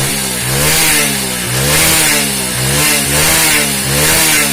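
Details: Hero HF Deluxe single-cylinder after top-end repair with cylinder refitted; revs up and down cleanly with no knock or tapping; sounds healthy.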